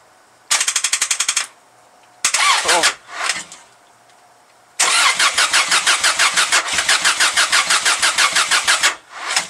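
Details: 1995 Subaru Legacy turbo, first start since August after engine work, turbo relocated: starter churns in short bursts about three turns a second but never fires; smoke from battery, a connection apparently not hooked up; crank no start.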